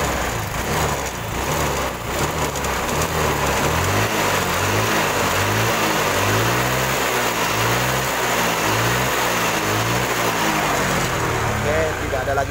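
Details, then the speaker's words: Honda Vario 125 carburetor scooter after block boring, rebuild and carburetor service, test start; single-cylinder runs smooth, even idle with steady low thrum, no misses or knocks, no more smoke. Normal idle. "Oke, teman-teman bisa dengar sendiri ya suara mesinnya. Alhamdulillah halus."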